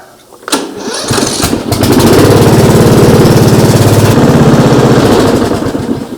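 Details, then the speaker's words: 2000 MTD Yard Machines riding mower with a Briggs & Stratton 12.5 hp flathead (cast-iron sleeve), started to warm the oil for an oil change: short crank, quick catch, smooth even single-cylinder beat with no knocks or misfires; normal. "Like it runs really smooth and everything."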